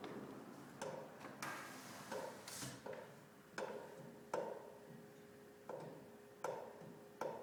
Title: Pipe Banging Noise